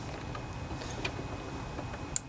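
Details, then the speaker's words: Kohler Courage 27 hp twin-cylinder engine on a Craftsman riding mower, key turned to first position after carburetor cleaning and rebuild, single sharp click from the fuel shutoff solenoid, previously silent when gummed up; solenoid now working normally. "hear that clicking that tells us that that fuel solenoid is working just fine"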